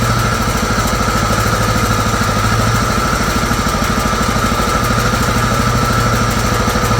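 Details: John Deere GT262 garden tractor, single-cylinder, sat for many years, battery fully charged, starter needed beating on: small thumping at steady idle, about three beats a second, no misses; running normally again after long storage.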